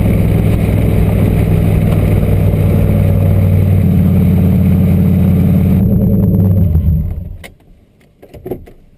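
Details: LQ4 V8 turbo-swapped Ford Ranger after no-start fix (a disabled DTC code, not the MAP sensor): deep steady drone about seven seconds, no misfire or stumble, winding down cleanly at shutoff in neutral; running properly.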